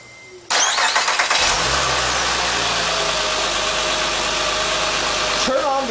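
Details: Acura (2007–2011 MDX, 2007–2008 TL or 2010–2011 ZDX) engine starts quickly and runs steadily with no belt squeal after the TSB 10-035 fix: new A/C compressor mounting bolts and Bando drive belt.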